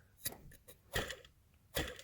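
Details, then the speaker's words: Mercedes serpentine-belt idler pulley beneath the secondary air pump, belt removed and spun by hand: dry scraping ticks from a worn bearing; it should be silent and smooth. "Go down to your, right beneath the secondary air pump is an idler pulley. Spin it. That sound that you hear, you should not hear that sound."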